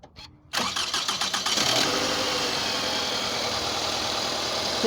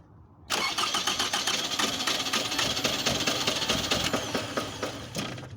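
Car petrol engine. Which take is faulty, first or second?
second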